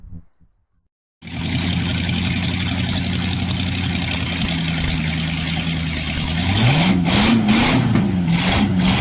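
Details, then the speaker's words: Freshly rebuilt 1960s Chevy 327 V8: starts and runs evenly, then revs up and down cleanly with no knocks, ticks or misses. Oil pressure is 60 psi, about 80 psi when revved; healthy running. "No, you're going to sound very healthy that motor. >> That's a good motor."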